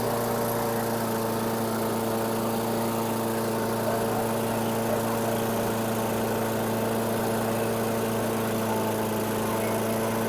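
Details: 2008 Weedeater 22-inch 500 series mower, engine model 10T502, after non-start repair work: steady, even drone at a fairly high pitch, no hunting or misses; RPMs a little high, possibly left high for heavy cutting; a cable and a possibly bent screw to check.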